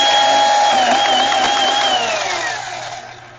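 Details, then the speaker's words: Razor E90 electric scooter after the unplugged throttle cable was connected and the motor replaced as a precaution. The motor gives a smooth, steady high whine at speed, then winds down gradually while coasting; running normally. "Now with this particular one, with the kickstart, you can't actually hear the control module clicking, but with this on, it clearly comes to life."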